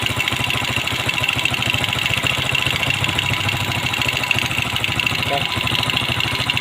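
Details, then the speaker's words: Carbureted motorcycle, not started for three years, after flooding fixed by cleaning the carburetor and setting the worn float: even, steady idle putter with no stumbling, surging or dying; no longer floods. "Ya, alhamdulillah. Mesinnya sudah bunyi ya teman-teman. Akhirnya motor ini bunyi bunyi juga ya teman-teman. Selama 3 tahun sudah dinyalakan. Dan ini nih sudah tidak banjir ya teman-teman."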